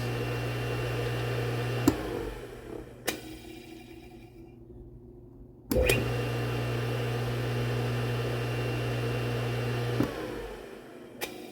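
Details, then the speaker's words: Red Lion shallow-well sprinkler pump motor being refurbished and rewired: steady low electric hum with clean on-off clicks, no grinding or squeal; motor works. "All right, we have a working motor."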